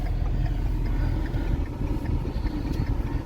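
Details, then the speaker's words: 2012 Ford F-350 6.7 Powerstroke diesel on test drive after new injectors, CP4 high-pressure pump and disaster prevention kit: low steady idle rumble at a stoplight, even rhythm, no knock or miss; healthy. "Seems pretty healthy for 300,000 miles."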